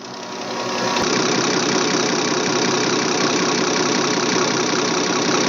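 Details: Remanufactured Bosch A-size inline injection pump for a Deutz 6.1L BF6L913C engine (Case 170B excavator) on the test stand, set to 325–326 at 6.8: steady high-pitched scream at full speed with no stumble. Normal high-speed running.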